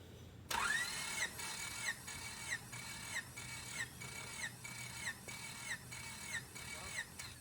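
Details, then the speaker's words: Freshly rebuilt Honda D16ZC, 9.7:1 compression, not yet run: starter cranks at steady even beat with equal compression pulses and whirring during compression test; cylinder 3 reads 175 PSI, healthy. "okay so it's still 175 PSI all right that's good"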